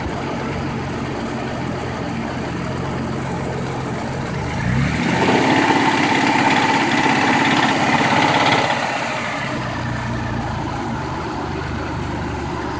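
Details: 1992 Mitsubishi 3000GT VR4, loud noise from engine bay; steady idle, then a droning whine climbing in pitch with revs and fading back; source unknown, louder as revs rise.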